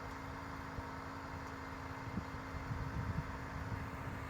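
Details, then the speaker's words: 14-year-old Mercedes GL450 air suspension compressor at the front, running while the car rises: faint steady hum with a constant low drone, normal operation. "You could probably hear this pump running at the front. The pump is located right here. So the air suspension pumping."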